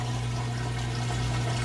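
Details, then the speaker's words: GE HE top-load washer in excellent condition, draining after the wash cycle with a heavy jeans-and-towel load: steady low drain-pump hum under rushing water as the tub empties, even and uninterrupted. The drain works normally. "you know that drain works great we'll let it move through the rinse cycle"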